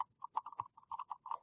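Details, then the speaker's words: Nady SCM-960 studio condenser microphone shaken by hand: light irregular clicks and ticks as the capsule rocks in its internal shock mount, first mistaken for breakage; the mic worked fine, so this rattle is normal. "that kind of rattling sound. When I first pulled it out of the box, I actually thought it was broken, and I was getting ready to contact Nady customer support, but I figured I'd plug it in once and just try it because that seemed kind of weird, and it worked fine."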